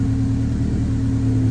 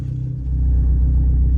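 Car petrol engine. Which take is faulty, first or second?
first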